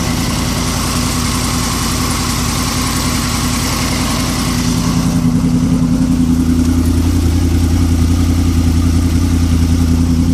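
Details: Engine idling with a quick, regular pulsing, then a low steady hum sets in halfway through; an odd engine noise at idle with no identified cause.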